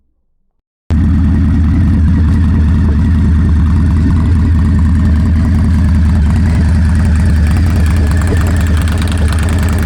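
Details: Indian Scout Bobber after installing Freedom Performance Combat 2-into-1 exhaust: deep, even V-twin idle thumping about four beats a second, steady and smooth throughout; healthy normal idle.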